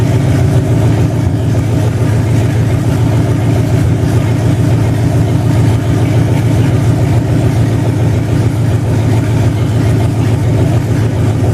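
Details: 2005 Dodge Durango 5.7 Hemi V8 on its stock harness modified for standalone operation, first start after new spark plugs and idler pulleys: smooth, even idle with a steady low rumble, no knocks, ticks or misses, and no issues.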